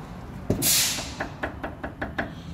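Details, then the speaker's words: Hyundai ix35 2016: worn, loose sway bar end link (bieleta) moved by hand simulating driving gives quick sharp metallic knocks about five per second; often misblamed on shock absorbers. "e você andando com o carro de fazer esse barulho batendo então muitas vezes o povo condena"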